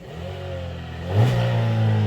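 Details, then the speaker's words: Chevy Sonic LT petrol four-cylinder just after a cold start, blipped with a little throttle. It revs up briefly and drops back to a steady, even idle with no knocks or rattles. Normal rev and idle. "This is a cold startup on a Chevy Sonic LT. Woo! Give it a little goods. Give it some goods."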